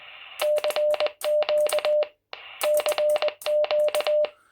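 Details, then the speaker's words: Quansheng UV-K1 on NR7Y firmware v1.1, CW transmit with break-in mode on: ~600 Hz sidetone with sharp popping clicks from the speaker between dots and dashes; firmware v1.2 claims to improve the popping. "and you can hear that popping sound coming from the speaker. And it can be quite off-putting when using it on CW."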